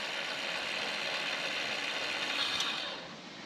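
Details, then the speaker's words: Walker zero-turn mower implement-mount linear actuator: quiet, even high-pitched motor whir with no knocking or grinding, stopping cleanly; this unit works and runs nice and quiet. "this one obviously works yeah that's going to be nice and quiet sweet"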